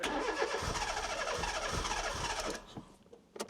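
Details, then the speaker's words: 1996 Fiat Cinquecento Sporting, 26,000 miles, abandoned seven years, started on sprayed fuel with no fuel pump working: small four-cylinder runs briefly with a clean rev then dies; sounds healthy, needs a new fuel pump. "Listen to that. Sounds sweet."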